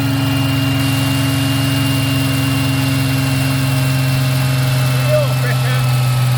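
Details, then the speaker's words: Ford Capri 3.0L V6 race car replica, stored 20+ years, idling just after first start once the points were cleaned to restore spark: steady, even low hum, no misfire or tapping; oil pressure good, still warming up, normal idle. "Yep. All good. All good. Yeah, oil pressure is good, mate. Yeah, oil pressure is good. >> Yeah, she is running nice."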